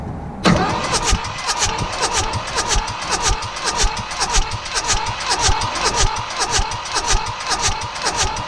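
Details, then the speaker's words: Mitsubishi D1800 tractor, KE95 diesel, on a chilly day after the ND injection pump was moved closer to the block for timing: steady starter cranking just under two beats a second, never catches; no fuel from injectors. "huh nothing's happening now I remember last time it took quite a bit of cranking to get fuel to start showing up"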